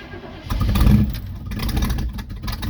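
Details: 1971 Chevy Cheyenne C10 pickup at about 27 degrees, choke on, gas pumped: short bursts of cranking and uneven revving as the cold engine stumbles and surges before barely catching; hard cold start.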